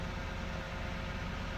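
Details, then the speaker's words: 2011 Toyota Sienna AWD, window open, just started cold: smooth even low rumble at steady idle with no whine, knock or tick; the rear-differential whine only appears when accelerating, so this is normal cold-start idle. "I just started the car I don't know if you can hear it but the sound is good it only starts when you start accelerating so this is a sound of just normal"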